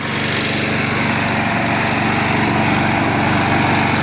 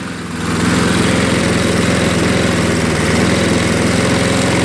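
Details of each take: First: Craftsman 22-inch self-propelled front-wheel-drive mower with a 6 hp Briggs engine, running after a spray of carb cleaner and RPM adjustment while the self-propel drive is tested; steady, even buzz at constant speed with no misses or surging, running cleanly. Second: Craftsman 22-inch 6 hp Briggs self-propelled mower, just started with carb cleaner after carb bowl cleaning: steady but slow, loping, slightly uneven idle; low idle speed, RPM to be raised.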